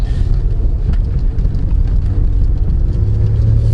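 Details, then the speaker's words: Acura/Accord V6 on a test drive after the OEM mounts were replaced with stiffer Innovative aftermarket mounts (about 70, up from 62): a deep, steady rumble and drone, with noticeably more cabin vibration than stock, though not extreme. "You could definitely feel the vibration compared to stock. It's not crazy."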